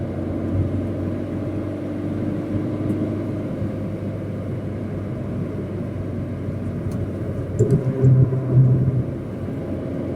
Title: Corsa D - Turbo failure